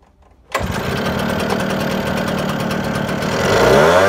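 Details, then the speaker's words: Echo 770 blower at wide-open throttle, carburetor tuned lean: flat, strained, struggling drone hanging low, then pitch climbs sharply as the mixture is richened back up during carb adjustment. "put her on a watt wide open throttle I will I'll tune it down so you can kind of hear it struggling and then I'll turn it and crank it back up"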